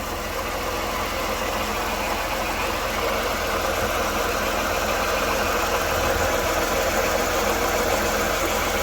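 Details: 1993 Dodge Grand Caravan LE idling in the engine bay after new belts, alternator refit and transmission fluid drain: a steady gritty whir over an even idle persists; owner suspected AC compressor, idler or tensioner, but the weeping water pump's worn bearing is the cause.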